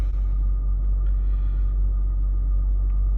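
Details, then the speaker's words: 2003 BMW 325xi with check engine light on, warm idle about 700 rpm: low heavy idle with uneven pulsing rumble, shaking and vibration, background drone worsening as rpm drops on warm-up; cause unknown; rough idle. "right, so we're at about 700 RPMs. I'm not really sure what RPM this car's supposed to idle at, but it feels very rough. You could probably hear it through the phone, the shaking and the vibrating."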